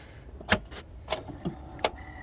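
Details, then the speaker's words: 2004 Audi A8L power liftgate: after latch clunks, a thin steady motor hum while the gate does not lift unless given a head start by hand; the owner says the liftgate motor is bad and needs replacing. "you can hear the motors going, nothing happens. So what I have to do is click it, give it a little head start, and then it'll go."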